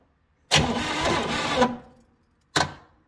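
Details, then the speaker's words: 1973 Chevy Nova after a barn fire, previously turning freely: it stuttered while cranking (owner suspected sticky valves). Spark is present, but cranking cuts off abruptly and the engine locks up. The intake was sealed; debris in the cylinders is possible. "Well, can't say I've seen this one before. We had a really free engine that's now a not free engine."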